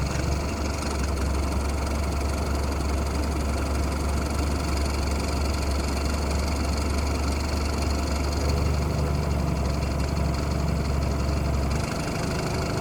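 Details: BMW F30: smooth idle with a loosely regular tick about three times a second. The owner says it is worse with the A/C on and disappears above 2,000 rpm; cause unknown.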